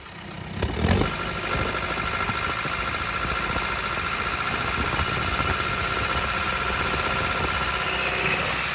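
Diesel runs with an uneven, lumpy beat, the odd stumble breaking its steady idle rhythm; it's misfiring, cause not yet known.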